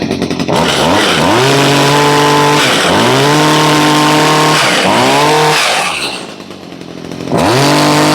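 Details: Stihl two-stroke blower/trimmer/hedger, previously bogging with no power, after a new fuel pump, gasket and metering parts were fitted: revs up cleanly four times, pitch climbing fast and holding steady, no stumble or bog; running healthy.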